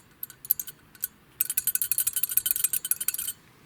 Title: Nissan Almera Metallic Rattling Noise